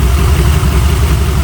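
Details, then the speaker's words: Boosted (turbo) C20 Chevy V8 with a carburetor, hot at idle: loud, uneven, loping thump from a misfire. Cylinder number eight runs about 150° cooler than the rest, so its plug is not firing. "that's what you can hear that that's a plug number eight cylinder is is about 150° cooler than the rest of them so it's definitely a plug not firing"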